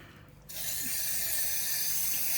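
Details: Pressurised water pipe at a care home, near a drain-off three inches below the concrete floor: water switched on gives a sudden steady hiss for about two seconds, spraying from the leaking pipe.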